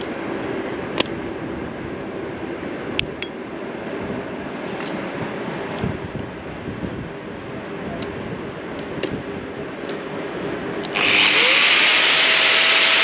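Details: Leapmotor C11 electric car's vehicle-to-load outlet (about 4 kW) powering an angle grinder, checked at the owner's request. Quiet clinks, then a high whine spins up and holds steady; the outlet works normally under load.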